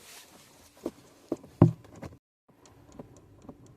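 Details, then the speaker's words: 2020 Chrysler Pacifica, sharp uneven clicking under the dashboard after opening the door, from failing recirculation flap actuator motor behind the glovebox. "Po otwarciu drzwi można usłyszeć charakterystyczne klikanie pod deską rozdzielczą."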